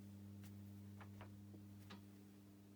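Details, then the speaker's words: Cheap ION USB twin cassette deck, plugged in but soft power off, motors not running. Faint, steady low hum with a buzzy overtone from the power side; probably the transformer humming, per the owner, not confirmed. Electrical hum. "Wow, First impressions are, it's not switched on, but it's got a definite hum."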